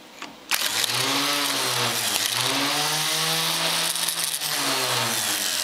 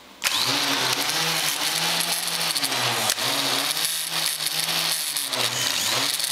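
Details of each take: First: Starter motor bench-tested off a MIG welder at about 12–14 V DC: spins up to a steady, clean whir with no grinding or rattle; runs freely and sounds healthy. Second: Starter motor bench-tested on an inverter MIG welder set to about 20 V instead of 12–14 V: a loud, high free-spinning whine with wavering pitch that winds down. The starter is overrunning on excessive voltage.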